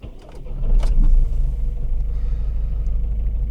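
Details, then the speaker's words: Volvo V50 1.6 D2 diesel (Ford/PSA 1.6 unit), codes cleared and the 4th injector unplugged for testing; uneven, lumpy idle with a loose irregular beat after restart, no different from before; rough running, injector being replaced. "Actually feels like it's running better, but I know it's not. It's not any different actually."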